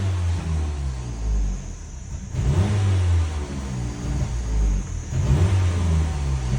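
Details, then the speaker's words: 2012 Ford Fusion 2.5L with no codes at first, stalls right after starting and when accelerating once warm; revving makes the engine surge, then sag and falter as if about to stall. MAF suspected; throttle body, pedal position sensor or fuel pressure also possible. "oh instead of hitting the gas slowly we'll give it some RPM and now it I'm hitting the RPMs and it wants to die now"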